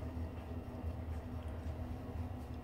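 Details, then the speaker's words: Ideal Icos HE15 boiler: burner light flashing, steady low fan hum continues with no burner roar as the burner goes off while firing; cause left unexplained. "listen carefully while is fired now listen carefully so the burners going off"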